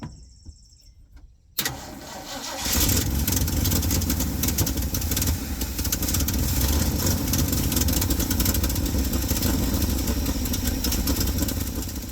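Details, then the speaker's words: Old Ford F100 that sat long, mice-chewed dash wiring suspected: cranks, catches and runs with stumbling beat that surges and sags, tachometer bouncing; intermittent ignition voltage to coil, corroded distributor cap found. "Also, check this out. It's got a pretty gnarly ignition thing going on. Here's a tachometer bouncing all over the place."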